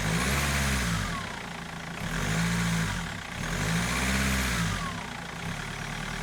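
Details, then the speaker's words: BMW M47 diesel after crankshaft pulley replacement: revs up and down smoothly in even cycles about every two seconds, no pulley rattle or squeal; sounds healthy after repair. "Sounds good."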